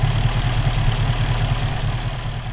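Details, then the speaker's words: Rover P5B V8 idling evenly with a steady low rumble after fixing a hot-engine misfire: condenser replaced and a loose contact-breaker spring nut in the distributor tightened; now running fine. "so maybe in the condenser i actually think it was enough just the nut that was loose and it seems to be running fine now so problem solved"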